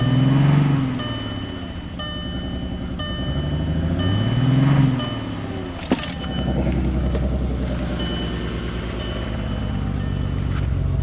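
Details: 2000 VW Jetta MK4 VR6 at idle: rough, lopsided running with a regular stumble from a bad misfire on one cylinder; a chime sounds throughout.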